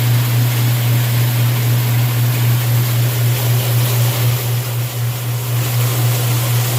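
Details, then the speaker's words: Washing machine with the lid switch bypassed by a screwdriver, on the drain cycle: steady low pump hum under rushing water, no knocks or rattles. The drain pump runs normally and the water drains. "You can see the water did drain."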